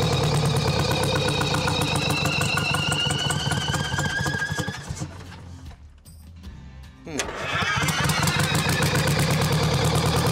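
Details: Champion motor grader with Detroit Diesel, locked up 7 years, freed with Marvel Mystery Oil and refitted with the other filter: steady fast diesel clatter about three beats a second, dips and nearly dies, then picks back up; water later found in fuel tank.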